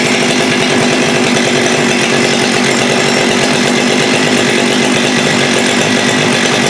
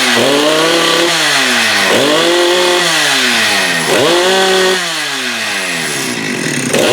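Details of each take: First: Husqvarna 394 chainsaw with HyWay 58mm big-bore pop-up cylinder (395 conversion), cold day, original OEM carb: no-load rev stalls around 10,500–10,900 rpm at one steady fuzzy pitch, running rich on top, won't rev out; suspected rev-limiting enrichment device dumping fuel. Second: Husqvarna 394 with HyWay 58 mm big-bore pop-up cylinder, cold day, aftermarket carb replacing the OEM carb: repeated clean blips to a high scream at about 12,100 rpm no-load, up from 10,500-10,900; normal high revs.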